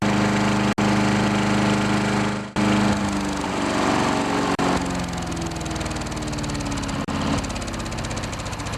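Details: 10HP Briggs & Stratton engine on a wood chipper shredder, first start after replacing a warped, leaking fuel pump: fires and settles into a steady, even chug with a couple of brief dropouts; runs good.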